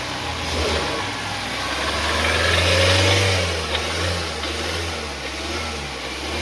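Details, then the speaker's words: Gemini vehicle: faint whine over engine hum rising and falling with revs, coming and going unevenly; intermittent alternator noise. "Friends, gemini ಗಾಡಿ ಒಂದು alternator noise ಬರ್ತಾ ಇದೆ. ಅಂದರೆ continue ಬರ್ತಲ್ಲ, ಬಿಟ್ಟು ಬಿಟ್ಟು ಬರ್ತಾ ಇದೆ."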